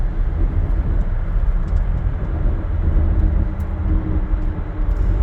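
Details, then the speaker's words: 1993 Chevy Beauville van driving through curves with carpet removed, bare metal floor: steady road rumble, tire drone and rear axle noise, nothing knocking or whining; normal road noise. "it does have a little more road noise than normal right now because the carpet is not in it it has a metal floor right now and you know once the carpet gets put in it'll dampen down all of that"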